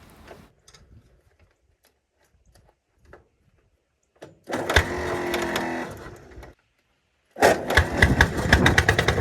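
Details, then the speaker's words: 1951 Caterpillar D8 2U dozer, sitting since about 1990 with the main engine once stuck, started via pony motor: big diesel catches in short rough bursts with dead pauses, a slow uneven chug settling into running on its own power for the first time in about 30 years. "that's the first start since they're pretty sure it's been like 1990 was the last time it runs so that was a major achievement there to get it running on its own power"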